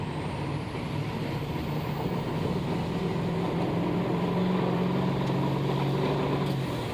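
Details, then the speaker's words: Diesel truck driving under load after new charge air cooler pipes installed, previously popping off: even drone pulling smoothly with steady mid tone, no pop or whoosh of escaping air; boost holds, normal. "yeah, that sounds a lot better. And it would have popped off by now if it were going to do it again."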